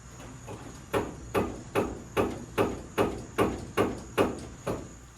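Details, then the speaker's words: 1977 Ford 4x4 truck: sharp hollow metal clunks about twice a second from underneath the rear over bumps, from worn shock absorber bushings, with one bushing missing. "And as you just heard, we're making a weird funny noise underneath the rear when we hit bumps."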